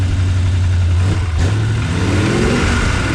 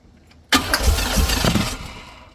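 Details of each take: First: LT1 V8-swapped Jeep YJ after no-spark/no-charge repair, coil and intake refitted, no coolant: fires on first crank, revs cleanly with steady deep note, no misses or knocks, then idles down; normal start. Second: LT1 V8-swapped Jeep YJ with no-spark/no-charge problems: starter spins the engine steadily for about a second with no firing, then winds down; crank no start, owner suspects fuel pump.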